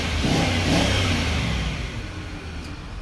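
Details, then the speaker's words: 2003 Range Rover HSE V8 revs and settles with an uneven, stumbling misfire that appears once warm (fine on cold start); the check engine light is on but a basic reader shows no codes; ignition coils and spark plugs are being replaced. "So this is what happens when it's like on the cold start. It works fine, but once it gets warmer, it starts to misfire and stuff like that. So okay, you can hear the misfire."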